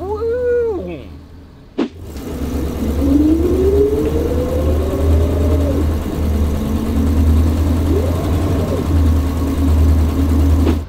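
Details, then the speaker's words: AMC Ambassador with automatic transmission, pulling away from a stop: shifts into second fine, then the engine flares up briefly before clunking into third. Slipping on the 2-3 upshift, suspected from running low on fluid due to a leak. "it shifts into second fine but then when it goes to shift into third you can hear slippage in the motor will actually Rev up a little bit before clunks in"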